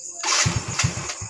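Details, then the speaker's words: Yamaha Mio J scooter after another workshop's rebuild with new cylinder block and rings; won't hold idle, no power, high fuel use, blink code 79 indicating a leak around the ISC; uneven, stumbling firing pulses, idle unstable. "suaranya tuh, nggak stabil teman-teman ya. Ini coba kita lepas. Ini nggak bisa langsam teman-teman."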